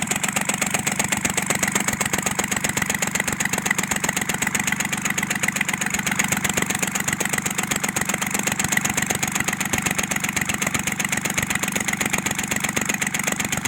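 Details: Kubota L1-255 tractor diesel idling with a sharp, even tapping knock about two or three times a second, with white smoke; knocking traced to a failed cylinder head, fixed by replacing the cylinder head.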